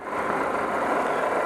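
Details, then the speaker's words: Engine idling after the slipped harmonic balancer inertia ring was addressed, before the timing light check; the original problem was timing marks off 0–60+ degrees. Smooth even steady hum with no knocks, misses or rattles: sounds good so far. "okay we'll get that going in a little bit everything sounds good so far"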